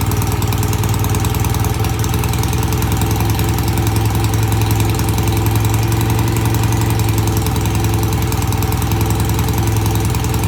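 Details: BSA A65 twin, new Premier carburettors with cleaned pilot jets. After an easy cold start with tickled carbs, it gives an even, regular low thump at a settled idle from both cylinders with no stumbles. Normal idle.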